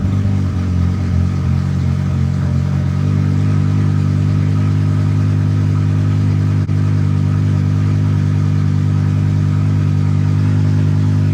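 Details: BMW E60/E63 M5/M6 after the SMG pump replacement and an INPA bleed that ended with no fault found: steady, even, deep idle with no knocks or misses. The SMG pump works and engages gear cleanly.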